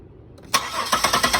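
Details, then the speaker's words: 2000 Buick LeSabre cranking and starting normally after a shorted crankshaft position sensor signal is released: quiet, then a sharp catch and evenly spaced firing pulses settling into idle. "once you test light away the ground or short in this case it will uh allow the motor to start and just shut it off"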